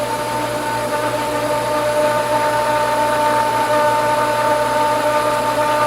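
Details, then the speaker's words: Pool pump at 2024 season opening, priming with little water: steady, fairly loud mid-pitched hum with faint whine, getting louder, water starting to move; loud pump running noise. "getting louder"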